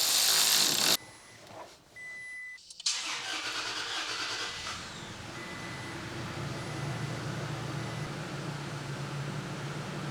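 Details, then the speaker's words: Toyota Tacoma after repairing mouse-damaged wiring harness, soft first start: a few seconds of cranking, then catches and settles into a steady smooth idle with no misses and no check engine light; normal start and idle. "All right, we got good news and great news. Good news is it's running. Great news is there's no engine check engine light on."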